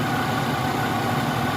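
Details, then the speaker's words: 2009 Nissan Maxima V6 running rough with no trouble codes, diagnosed by scanner power balance test: uneven, lumpy idle with a faint stumble as a cylinder drops out, traced to failed ignition coils; engine misfire. "दोस्तों यह 2010 Nissan mixie में है इसमें कोई code नहीं है लेकिन engine के अंदर बहुत ज्यादा मिस्टेक इसमें बिल्कुल नहीं आता है"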